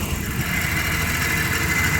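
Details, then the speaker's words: 1997 Dodge Caravan LE idling after a new coil pack melted and was replaced again; check engine light flashing: uneven stumbling beat with occasional dropped pulses in the exhaust, still misfiring; owner says something is wrong with the van. Misfire at idle. "make sure the wires are all on there right yeah still sounds like I got a Miss well I guess I limp at home best I can do"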